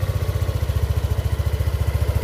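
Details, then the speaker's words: Yamaha Aerox 155 scooter after 2 years, routinely serviced, no error codes: even low putter about eleven beats a second, steady with no knocks, ticks or rattles; normal idle, sounding same as when new. "dengerin Lun ini suara mesinnya lulur Oke jadi suara mesinnya itu sama seperti saya pertama kali beli masih soalnya sama jalur ada yang berubah"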